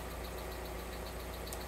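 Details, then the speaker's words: Alfa Romeo GTV petrol engine about five minutes after first start following a long lay-up, cambelt and service done: steady idle with faint quick ticking from hydraulic lifters dry of oil, expected to quieten once fully warmed. "the tapping you can hear is the hydraulic lifters because they're going to be dry of oil after not being used for so long so it should quieten down when the engine's warmed up"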